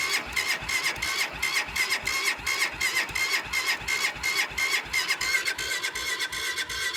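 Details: Cold start attempt: rapid even cranking at about three strokes a second with a high-pitched starter whine, and the engine never catches; cranks but won't start.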